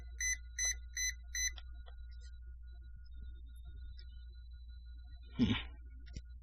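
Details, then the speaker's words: Brushlesshobbies LT4-120 brushless ESC in an RC car, during reprogramming after a failure: four sharp high beeps about every 0.4 seconds that don't stop; cause not confirmed, different receiver to be tried next. "push the button turn it on beep beep beep let go and she doesn't stop beeping no receiver light on nothing"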